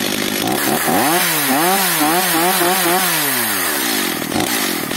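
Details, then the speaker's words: Stihl MS 230/250 chainsaw after the mixture was leaned 7/8 turn. Revs hunt, then sag to a slow, weak, lazy idle; idle speed too low. The cord pulls very lightly, so weak compression is suspected and it starts hard. "ale pilarka ma jakby słabo słabą kompresję słabe sprzężenie jest leniwa ospała na wolnych obrotach"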